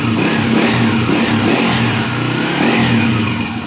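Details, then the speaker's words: Honda TMX 155 single after valve clearance adjustment on compression stroke: light, even tapping that follows the revs as it revs and settles; slight tick is normal. "guys Ayan normal na normal lang po yung kanyang lagitik guys standard lang yan"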